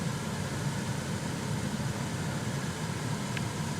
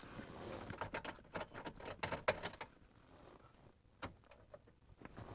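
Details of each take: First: Chevrolet Silverado cabin blower after repair: a smooth, steady rush of air over a soft low hum, running quietly and normally; the humming was fixed by cleaning out debris and changing the cabin air filter, with a gasket still missing. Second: Chevrolet Silverado cabin blower, heard after a repair attempt, starts after clicks and handling noise with a loud, steady low hum that persists; the hum comes from debris in the blower motor's squirrel-cage fan wheel, located under the dash.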